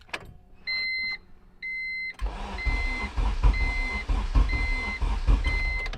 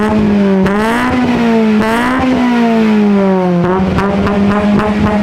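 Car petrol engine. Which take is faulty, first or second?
first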